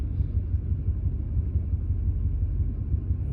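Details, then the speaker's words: 2001 Ford F150 idling at operating temperature: low, lumpy idle with uneven stumbles and dropped beats; runs perfect when cold, spark advance and short-term fuel trims jumping around. Cause not yet found. Random misfire at idle. "okay this is truck at an idle as you can probably hear there's quite a mess"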